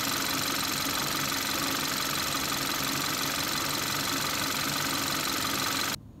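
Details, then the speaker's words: 2014 Kia Rio 1.6 after crankshaft position sensor replacement, idling with a steady, even smooth hum and no misses, knocks or stumbles until shut off; starts much better and the RPM gauge works. "definitely starts a whole lot better RPM gauge is definitely working"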